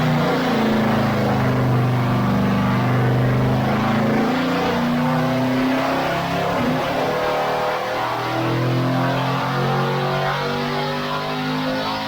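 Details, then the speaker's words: Chevy LT1 383 dyno engine (quiet street cam, unported LT4 heads) on full-throttle pull from 3200 to 6200 rpm: note climbs steadily, briefly stumbles mid-pull then recovers; suspected ignition-related, perhaps a loose wire, never found nor recurred. "yeah did you hear that little hiccup I think that was a recognition related here it is again"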